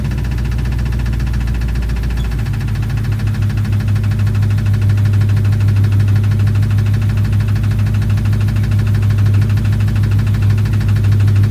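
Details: 2006 Chrysler 300 5.7 Hemi V8, bought cheap, at first start idle: steady quick tapping over a deep hum; valvetrain tick, owner suspects lifters or rockers, cause not confirmed.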